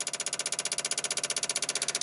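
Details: 1995 Dodge Ram 2500 V10, cold no-start: key on, engine off, fast even buzzing chatter about fourteen clicks per second, relays rapidly cycling from unstable power; owner says it only has a chance to start after warming with kerosene heater; cause not yet found.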